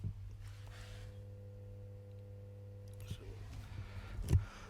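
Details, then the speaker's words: 2010 Skoda Fabia, engine off, fault code 01201 ABS valves supply voltage: quiet steady electric motor hum as the ABS pump runs constantly, hot to the touch, then cuts out; causes heavy parasitic draw that flattens the battery. "take you so when we go underneath here indeed the abs unit's running constantly the customers complain about this so oh it's roasting as well"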